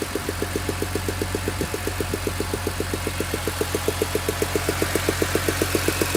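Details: BMW E46 M3, S54B32 engine, warm idle after a cold start: sharp, even ticking about two and a half times a second over a steady idle. Source can't be pinned down by ear.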